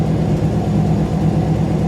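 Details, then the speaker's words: Warm engine after a couple of drives around the block: steady, even hum with a fast, unchanging beat and no rev dips; owner guesses about 1100–1123 rpm; alternator belt slightly loose; runs great but idle speed too high. "it ran great it idles too fast if you just listen that's got to be running about a thousand"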